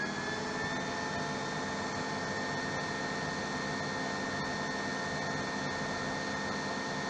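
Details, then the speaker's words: RO plant high-pressure pump after its digital panel current setting was raised to 1.5 A: a steady, even hum with a faint constant high tone, no longer cutting out. Normal running. "अब आप देख रहे होंगे कि अब ये बंद नहीं हो रहा है, ठीक है।"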